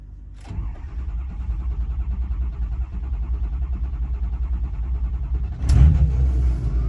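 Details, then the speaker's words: Ford 6.0 Powerstroke diesel truck, warm after a drive where it ran perfectly, long even cranking about two beats a second with no hot start until the key is cycled; owner suspects an electrical fault and has ordered an ICP sensor. "See if it'll hot start. No hot start. Cycle the key."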